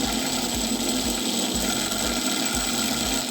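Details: Marx tinplate toy train motor with an E-unit, powered while upside down: a fast, even mechanical buzz with a regular low thump about four times a second and no E-unit popping. The motor runs smoothly; normal motor running.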